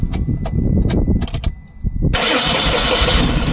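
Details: Tata BS6 petrol engine after repairing a cut cylinder-two wire: the starter chugs a handful of times, then the engine fires with a rush but won't keep running. No supply reaches the fuel pump because of a blown fuse; no DTCs.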